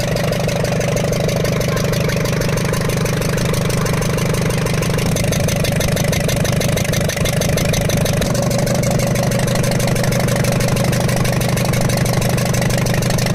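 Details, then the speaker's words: Ashok Leyland Captain 4923 BS4 N4 diesel truck, low pickup and smoke, idling with turbo manifold side disconnected: fast steady ticking about three per second; valve bridge on rear first cylinder rocker fallen off, raw diesel escaping. "वाल bridge की problem मिली है जो हमारा पीछे से rear side से first rocker आता है उसकी जो है वाल ब्रिज निकल के सटक के गिर गई थी दोस्तों उसके कारण यह साउंड बन रहा था"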